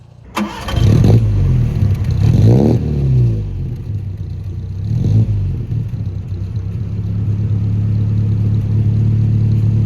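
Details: 1960s Sunbeam Rapier Mk III, cold start on a chilly morning with a little choke, heard from the back at the tailpipe: it catches, takes a couple of quick blips, then settles into a deep, even burble with no misfire or knock.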